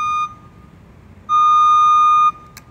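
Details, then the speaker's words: JLG T350 35-foot boom lift: steady high electronic beeping from the motion warning alarm whenever the lift moves. "but one downside of this device that i found is the noise it makes uh whenever you're whenever you're moving it so you want to go up or whatever it's just like [Music] that beeping sound is really obnoxious"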